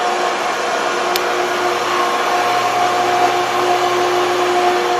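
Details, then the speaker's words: Pool pump on a VRS/SVRS vacuum-release system, running a long time: steady motor hum with hollow airy rush and no water-moving load; pump not priming, system keeps shutting off on "stabilize vacuum too low". "well right now it's been running for quite some time and the pumps still aren't priming if you find that to be an issue for you you see it keeps turning off stabilize vacuum too low"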